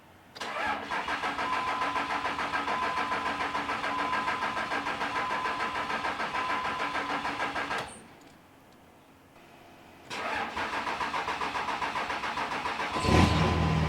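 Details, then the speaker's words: 3rd-gen Dodge Ram 5.9 Cummins diesel after oil and fuel filter change, possible air in fuel; starter cranks several seconds, pauses, cranks again, then fires with a sharp bark and runs well; normal start. "There we go. Off camera, it took me like 2 more cranking cycles before it fired up. Seems to be running good now though. God, this thing sounds good."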